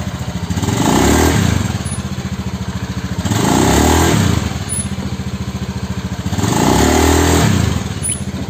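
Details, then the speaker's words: Honda Scoopy injection scooter after a CVT repair for take-off judder and squeal: three smooth pull-offs, engine note rising and falling with no squeal or judder; the clutch engages cleanly, a normal CVT pull-off. "Oke teman-teman seperti ini ya ini penyakitnya udah sembuh udah saya cek coba-coba Maju mundur maju mundur penyakitnya udah sembuh ya"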